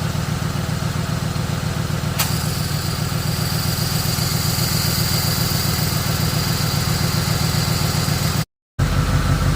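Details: 2007 Ford Explorer 4.6L V8; steady even low idle, click as A/C clutch engages when switched on, then smooth running with no rattle or grind; normal idle with A/C on.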